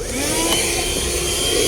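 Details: 2019 Jetta with A/C not cooling and making noise, blower run behind the removed glovebox: high airy whirring with a rough rattly edge; the worn blower motor needs replacement.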